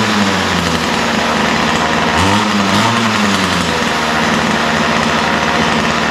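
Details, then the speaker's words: Ryobi two-stroke line trimmer after adjusting the low-speed mixture needle slightly rich: steady, crisp running with a brief rev and settle, no stumbling or surging. Runs normally. "yeah so that's what I like to see it sounds pretty good right now I took a little tinkering with the low speed mixture needle to get it just right"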